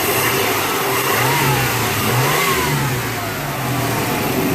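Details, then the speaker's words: Engine just after an oil change with new filter; no leaks from the filter or drain plug. Smooth idle, then revs climb and fall cleanly with no misses or knocks; running decent. "but sounds like she's running pretty decent rub her up a little"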